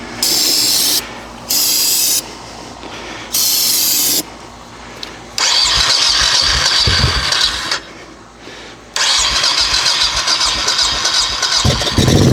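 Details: Honda Shadow 1100 sat for years, old fuel removed, fresh battery, carburetor cleaner used: starter spins fast and strong in repeated bursts with pauses; healthy cranking, attempting first fire.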